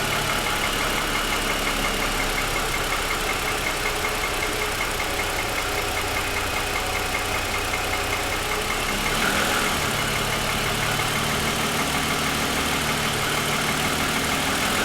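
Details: 2007 Lexus ES350, parked, hood raised, cold start: the idle carries a loose, uneven light knock of about two to three beats a second. Pronounced piston slap lasting about 10 minutes after a cold start, worsening over 2.5 years of ownership.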